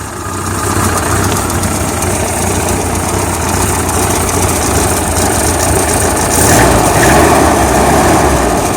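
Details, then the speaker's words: Suzuki Samurai carbureted engine with HHO hydrogen assist, after spraying carb cleaner through the inlet needle/float valve to fix flooding. Steady, even idle with a smooth low drone and no misses or stumbles; idling fine as before. "Well, she's absolutely idling fine and running fine as before."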